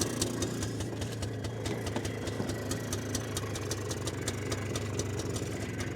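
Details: 2001 Polaris Xplorer 250 4x4 two-stroke, started with starting fluid after kill switch issue: even steady idle with light ticking, no misses or hunting; normal idle.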